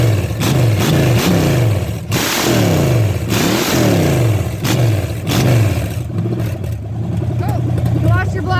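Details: $50 Chevy small block 305 running: fires up and revs freely repeatedly, pitch climbing and dropping cleanly with no misses or knocks; healthy.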